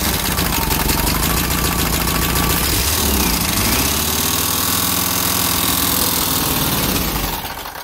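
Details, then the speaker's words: 1977 Volkswagen Westfalia bus, sitting, fresh gas and charged battery: steady rapid starter churning, about three or four beats a second, never catching; crank no start, fuel pump relay clicks but no fuel pressure, owner assumes failed fuel pump. "okay so basically what I figured out is when you turn the key on the relay for the fuel pump clicks but there is no fuel pressure and I can only assume the fuel pump has gone bad"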